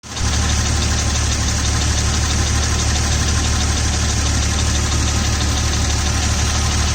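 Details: 2000 Jeep Cherokee XJ at idle: steady light, fast tick (about two per second) over the engine rumble, seemingly from the rear bottom of the engine, slightly louder when hot, gone off idle; owner suspects the flexplate, unconfirmed.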